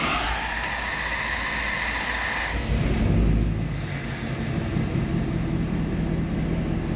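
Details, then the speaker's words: 2016 Ford F250 diesel after repairing squirrel-chewed crank position sensor wiring and changing fuel filters: starter churns several seconds before it catches into a rough idle, check engine light still on; extended crank before start. "Well, it started up, but it still has that extended start. I was hoping putting that crank position wire back on was going to take care of that, but we still have a check engine light on."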